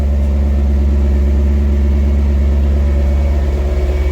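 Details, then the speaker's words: 2000 BMW E39 M5, cold start: deep, slightly uneven rough idle with a faint light rattle on top; timing chain noise on the cold start only, super smooth once running. "So here's a cold start. It's a little rough. You hear a little bit of timing chain, but this is the cold start. After that, everything's decent, but the initial startup, a lot of rattling."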